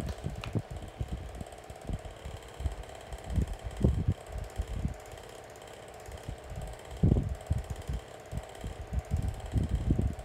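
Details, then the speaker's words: SMC 6-inch desk fan on high speed, owner unsure if blades are loose; steady hum with irregular low thumps and rattles throughout; noisy fan running, cause not evident. "considering the BL on this one it's not a surprise definitely a noisy fan but it moves put very good amount of air"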